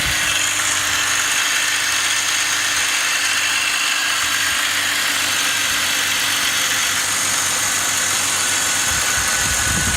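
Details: BMW E39 530i with 150,000 km at idle: steady idle with a strong hiss and fine high chatter over a low hum; the owner asks what the abnormal engine noise is, and the source is unclear.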